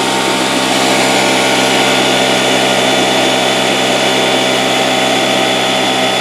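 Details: Porter-Cable 6-gallon pancake air compressor (1.5 hp, 3.5 SCFM at 90 psi), after repair of a broken copper line that had stopped it building pressure: a loud, steady motor-and-pump hum with an even whine and no knocks or leak hiss. It runs normally, about 70 psi and holding.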